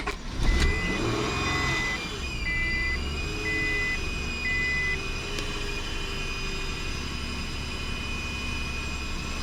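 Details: 2000 Acura TL after knock sensor replacement with the intake plenum removed: steady high whistle from the AC compressor side over a low, surging idle, short beeps early; owner suspects a broken vacuum hose elbow, unconfirmed.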